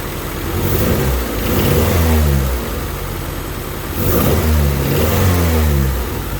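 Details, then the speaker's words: 1988 Honda Civic wagon after swapping the intake temp sensor and idle air control valve wires (codes 10 and 14): engine runs smoothly, but a loud, raspy, blatty exhaust swells with each throttle blip. Bad exhaust. "the exhaust sucks really bad but she's running"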